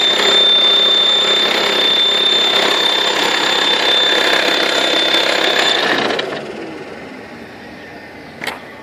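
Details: VW T5 2.5 TDI AXD, 240,000 km, A/C compressor belt removed: steady high whistle over hot idle for six seconds, fading as revs drop; occurs only hot and only at idle, source unclear, turbo suspected.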